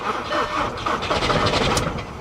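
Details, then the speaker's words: Diesel Nissan Armada salvage vehicle, start attempt: starter drags the engine over slowly and unevenly, labouring like a cold-morning crank, smoke out the back, never catches; suspected it would fire if it cranked faster. Slow cranking, no start. "Yeah, it's just not sounding promising, man. She's cranking over real slow. I think if it was busting off a little faster, yeah, probably fire."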